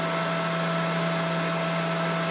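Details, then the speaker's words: Mikini 1610L mill after replacing the BLDC motor with an inverter-duty AC motor and Hitachi sensorless vector VFD, and fixing a loose part: steady even hum under a smooth cutting hiss into aluminum, no chatter; seems to cut more solidly than before. "it definitely did not chew through the aluminum like this before it just seems much more solid now it could be my imagination too but I don't think so"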